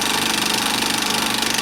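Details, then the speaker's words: Bell & Howell 2575 16mm Filmosound projector, side panel off, running in drive without film: fast, even mechanical clatter over the motor hum; worn nylon drive gears (lower sprocket gear and worm gear) need replacing. "It's really a shame too. I mean, it actually doesn't run too badly, but I'm afraid to thread film into it because"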